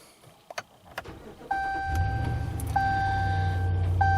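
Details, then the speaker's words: 2017 Ram Rebel 5.7 Hemi at 25,542 miles on Rotella oil, started about six hours after last drive; brief crank then even low V8 idle, no lifter tick, no check engine light; normal start. "hopefully you could hear that dead quiet sounds like a normal engine 25 542 miles no check engine light nothing stupid it truly truly is doing what it's supposed to do"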